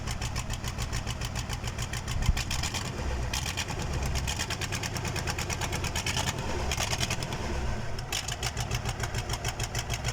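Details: KAMAZ diesel first start after engine overhaul; even steady diesel clatter at idle with regular firing beat, no knocks or misses; rebuilt engine idles normally.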